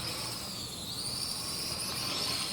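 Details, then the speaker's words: MJ 103 quadcopter (X5C clone) in flight: high, thin whine from the small motors with a faint scratchy chirp; dry motor bearings that haven't been greased yet. "You can hear those bearings chirping cuz I still haven't greased them."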